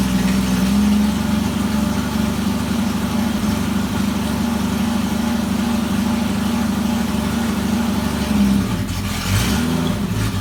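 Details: Jeep XJ after fitting a new pulley and new belt: engine starts and idles smoothly with an even note and a brief rev, and the earlier belt squeak is gone.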